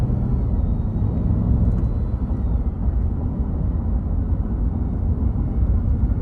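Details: 2021 Ram 1500 Hemi eTorque, under warranty: deep engine rumble with thin steady high whine; initially feared eTorque bearings, traced to failed belt tensioner pulley bearing.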